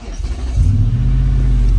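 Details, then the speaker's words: Y62 Nissan Patrol with a suspected failed brake switch, started with no foot on the brake by holding in the brake controller: a short crank, then a clean catch into a smooth, even idle rumble; it starts normally. "it will start perfect so no foot on the brake that was just me holding the brake controller in"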